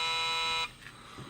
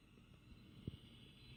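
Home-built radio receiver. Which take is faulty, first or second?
first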